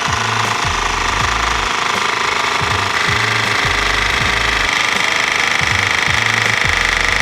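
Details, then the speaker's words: Handpresso 12-volt espresso machine, cold water and coffee pod loaded, just switched on: loud rapid pulsing drone with a low thump about every second as the compressor pumps while the water heater works; normal operation. "Two things are happening. The compressor is working and so is the water heater."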